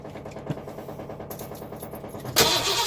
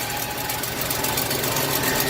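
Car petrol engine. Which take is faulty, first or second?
first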